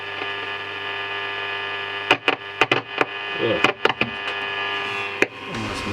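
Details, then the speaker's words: 1953 Stromberg Carlson Baltimore radiogram; steady mains hum with sharp irregular crackles and pops as the radio switch is touched, even with volume down; switch is microphonic and noisy, transformer also sensitive. "It's making that noise. I think even with the volume down. Oh, there's another bit of knob. Radio switch is terrible."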